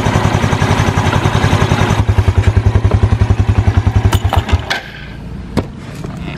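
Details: Used motorcycle idling with the exhaust covered by a cloth to listen for ticking: even low thumping at roughly three and a half beats a second, no ticking or clatter before it cuts off; healthy idle.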